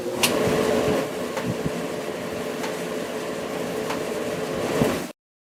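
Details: Whirlpool dryer during a motor check-and-replace job: even motor hum with a faint steady tone and soft drum thumps throughout; the dryer runs smoothly with no fault noise.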